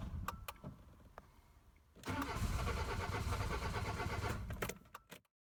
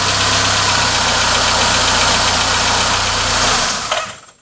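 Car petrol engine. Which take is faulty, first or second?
first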